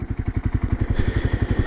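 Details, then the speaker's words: 1978 Kawasaki KL250 after a top-end rebuild with lapped valves, on a warm break-in ride: even single-cylinder idle thump with no clatter or misses, running smooth with no oil leaks or smoke. "The engine sounds really good and smooth."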